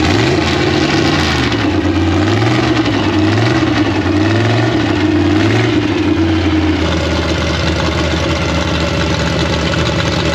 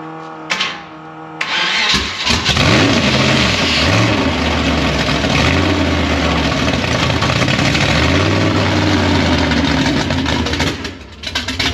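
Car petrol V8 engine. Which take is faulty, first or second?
second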